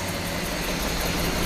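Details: 1966 Ford Galaxie 500 V8 after Pertronix ignition replaced arcing points and the carburetor was adjusted after warm-up: smooth, even idle with a steady low rumble, no misses or ticks; normal, healthy idle.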